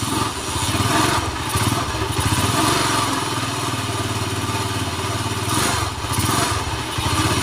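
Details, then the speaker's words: Honda GL motorcycle with an owner complaint of rough engine: heavy, uneven, very rough rumble from the middle of the engine at idle and revving, not from the cam chain; connecting rod big-end bearing wear. "ya jadi seperti itu suara motor ini sangat-sangat kasar sekali bagian tengahnya"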